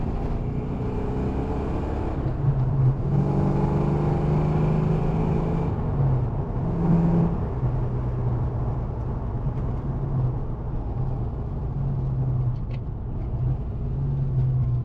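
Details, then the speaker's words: 1990 Mustang GT Fox body with new transmission and distributor rotor replaced, test drive: pulls smoothly through the gears under road and wind noise, pitch rising and falling evenly, no knocks or grinding; bad rotor believed the cause; normal acceleration. "car actually drives real nice well I'm thinking it was just that rotor"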